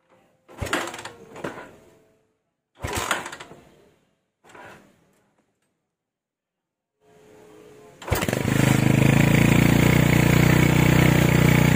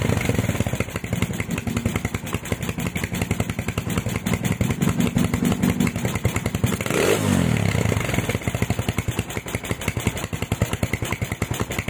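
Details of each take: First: Honda Tiger stock engine with PWK 28 NGO carburettor after retune (pilot jet 30, GL Pro needle clip raised to top): after several pull attempts it fires and settles into a smooth, stable idle, no hiss or hunting; normal idle. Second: Honda Tiger stock engine, PWK 28 NGO carb after swapping to fatter GL Pro needle, before lowering pilot jet: uneven lumpy idle with wet hissing edge and brief blip; idle still rich, though revs don't hang on throttle.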